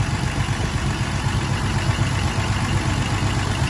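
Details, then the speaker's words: Engine sitting after idling about an hour: steady low idle, even pulse about four beats a second, no misfire or tapping; it idles fine just sitting, though the owner suspects a sticking exhaust valve. "It idles fine as long as it's just sitting there."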